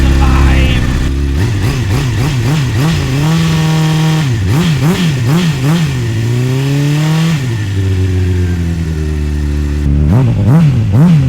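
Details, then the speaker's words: 2005 Honda CBR600RR, about 38,000 miles, first start, with booster on a weak battery: four-cylinder catches and settles, then sharp throttle blips with a clean even note; a little blue oil smoke at startup, antifreeze leak seen, still runs. "See a little blue oil when I first started it. Don't want to run it too long. Still runs."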